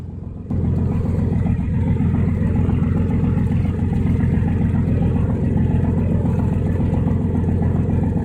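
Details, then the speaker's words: Old steel yacht's twin diesel engines, previously overheating, about to set off from Stralsund: deep steady rumble, a little louder and rough-edged but no knocking; both exhausts pumping plenty of water, so engines running fine. "So as you can hear, the engines are running good. They're just a little bit more grumpy and louder, which doesn't worry me at all."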